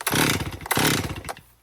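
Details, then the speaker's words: 2018 Stihl MS261 M-Tronic chainsaw, heat-soaked after 4–5 minutes off, owner complaint hard starting and bogging when hot: two pull-cord cranks with a ragged ratchety buzz, never catches; hot no-start, possible vapor lock suspected. "Like if you had a dull chain on it almost and you had poor quality fuel, you could be vapor locking it right now. But let's give it a try. And it won't start."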